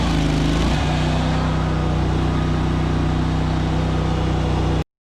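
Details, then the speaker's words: ZT200 zero-turn mower, new PTO switch fitted, deck engaged: engine note drops sharply and drones heavily loaded; deck spindles seized so nothing turns, clutch probably slipping; wiggling later freed it. Cause suspected, not confirmed. "okay we could hear it load the engine down probably slipping that clutch like crazy because it wouldn't turn"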